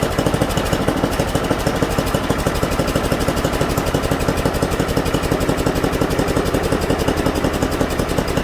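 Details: Mastercraft 10.5 hp 30-inch snowblower engine after carburetor clean and rebuild: fast even firing pulses holding steady; idling a little high.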